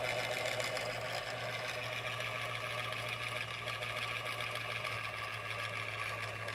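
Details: MSI PE60 6QE gaming laptop: steady loud airy whoosh, constant whine and faint fluttering hum; cooling fan noisy, cause not yet found, unrepaired.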